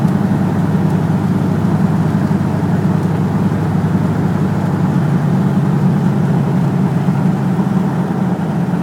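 Steady low engine rumble with a slightly uneven beat underneath; it sounds like a misfire, though the cause isn't clear.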